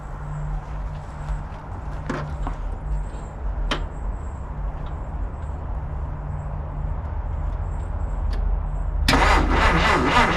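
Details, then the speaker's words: 1950 Dodge Meadowbrook flathead after rewiring, new voltage regulator and polarized generator, carburetor primed with gas: several seconds cranking, then catches into a steady even idle without misses, 40 lbs oil pressure; healthy start. "That sounds like it's running pretty good."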